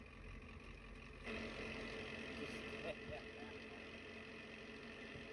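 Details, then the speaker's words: Diesel truck with newly installed ZF5 transmission and new clutch at idle: rattling chatter added when the clutch comes out. Gear rollover noise with clutch released. "Clutch in, clutch out."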